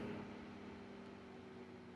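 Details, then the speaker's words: Vintage Kenmore 124.8055 (Dyna Mimar) fan, failed speed coil replaced with triac control, turned down; soft steady airflow with low even electrical triac hum from the duty cycle, no rattles or wobble; normal low-speed running. "And then you turn it all the way down if you want it to go slow. That's pretty decent. You still get the little hum of the Triac there performing the duty cycle."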